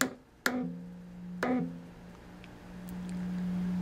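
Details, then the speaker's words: Amperex 6922 tube on a noise test fixture at maximum gain, triode one: two sharp taps each set off a lingering low ring that continues between taps, showing the tube is badly microphonic. "triode one is very microphonic as you can see the the uh dys flection is almost completely off the scale you can hear it"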